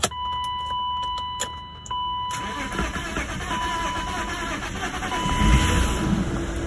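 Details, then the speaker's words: BMW E34 Touring wagon parked about 7 years, cranked with throttle after spraying into the throttle body: steady uneven churn with a cough or two, never catches; crank no start, not getting fuel, tank possibly empty or fuel evaporated, suspected. "okay we're not getting fuel all right okay so that could be as simple as we don't have fuel in the tank could have evaporated didn't have much to begin with okay well and that would explain the coughing right"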